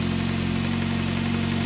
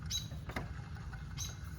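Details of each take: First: 2006 Ford Focus ZXW wagon, 105,000 miles, after replacing the squealing idler pulley, the belt and the tensioner pulley: smooth steady idle with an even low hum and no squeal or chirp from the tracking belt; normal idle. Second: 2004-2008 Ford Focus idler pulley, belt removed, spun by hand: dry squeaky chirps over a low rumble from a worn bearing, the same noise heard with the engine running; water pump and power steering pump quiet.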